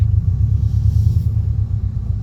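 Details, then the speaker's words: Test drive after replacing a failed Airlift Performance air-suspension pillowball top bearing: only low steady road rumble, with no creak or knock as the wheel turns, so the suspension is quiet while steering. "it's so nice wow we don't have a creaky bed wow look at that wheel turning no noise"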